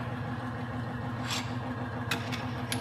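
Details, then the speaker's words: Bearing test rig with Husky Tough Stuff grease (no moly) as weight plates are added up to fifteen on the armature: low steady motor hum, a few clanks of weights, no squeal; quiet normal running, whereas red Bentone grease with moly failed at three plates. "so again my Bentham grease with Molly failed after just three plates our Husky tough stuff grease is going strong with fifteen"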